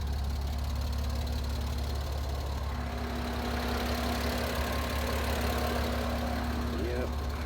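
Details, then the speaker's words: Auction car with temperature gauge in the red, overheated: low steady idle rumble with faint uneven tapping underneath; engine knock developing. "And there it is, guys. You guys hear the knocking now."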